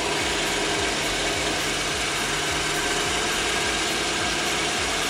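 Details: 1994 Mariah boat, 350 small-block Chevy engine, running after sitting, starting up for the season; steady, even burble at idle with clean regular beat, no knocks or misses: normal healthy idle.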